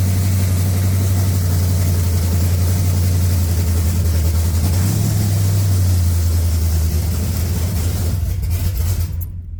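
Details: 1980 Pontiac Trans Am V8, cold, not started in a long time, after distributor install, head work and new TH400 build: strong steady low idle with even beat, no valvetrain ticking or clatter; runs fine, timing not perfect.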